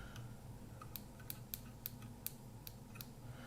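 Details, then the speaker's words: Kodak half-frame camera whose flash stopped working, opened up and powered on: faint irregular sharp snaps, about two a second, as the circuit sparks and discharges without firing; owner suspects a damaged flash tube. "Right, it's trying to discharge, but the flash isn't working. So there's the problem. The flash itself, the tube, is damaged, I think."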